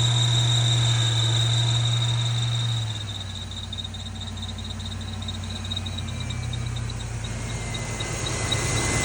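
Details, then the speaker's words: 1992 Ford Mustang GT Foxbody 5.0 V8, first cold start after sitting on old fuel; rough uneven idle under a constant high-pitched squeal, belt gliding over a seemingly seized pump pulley (suspected, not confirmed). "Oh, the belt's just gliding over it. >> It's probably just flattening the belt out."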